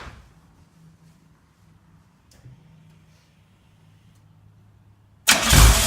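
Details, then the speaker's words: Lamborghini Countach LP400S replica, first start in at least three years after a rebuilt fuel system: faint cranking several seconds, then catches at once into a strong, full-bodied run; some smoke noted afterward. Normal engine start. "well good news is it fired up right away the engine sounds actually pretty solid and strong"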